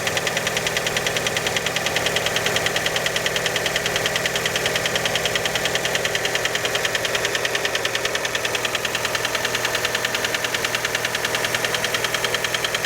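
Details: Fiat Panda engine after a cold start: a fast, very even ticking knock, roughly three per second, on top of the idle. The piston skirt is suspected but not confirmed.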